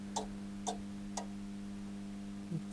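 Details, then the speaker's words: Zanussi ZAN 3K 2G grid-tie solar inverter (rebadged Solis), OV BUS relay error: sharp relay clicks about twice a second over a steady electrical hum. The output relays keep trying to connect and fail; blown relay solder joints. "there's a relay clicking"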